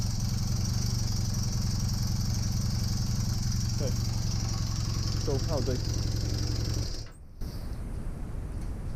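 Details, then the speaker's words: Honda Superdream (Hawk) small twin, rebuilt from parts, after oil leak fix with airbox refitted: steady, even low thrum ticking over smoothly, starts easily, then cuts out nearly out of fuel; owner still slightly concerned about a noise; normal running. "she's running and she starts easily i never thought i'd say that"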